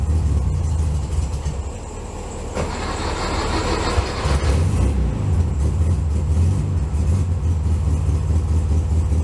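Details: 1964 VW Bug air-cooled flat-four, cold start in snow at about 15°F: starter churn catches into loud lumpy low rumble settling into steadier idle; normal cold start and warm-up.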